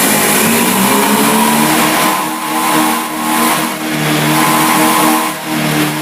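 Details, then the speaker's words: Honda Beat fuel-injected scooter held at high rpm keeps dropping off and catching again as if running out of fuel; fuel pump pressure checked normal; stutter caused by a faulty throttle position sensor. "dan tadi setelah kita coba ternyata pada saat putaran tinggi ia mesinnya seperti mau kehabisan bensin"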